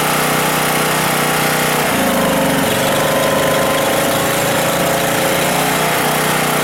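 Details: Husky 1850W generator with Mikuni T3044 carburetor converted to natural gas after cleaning failed; steady, even drone at constant pitch, no misses or surging, mixture about right, running better than on gasoline.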